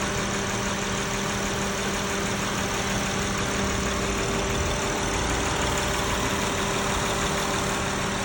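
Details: Honda V6 at 195K miles, ticking from front cylinder head, treated with Valvoline Restore and Protect: fast, light ticking about three per second over steady idle, typical valvetrain noise.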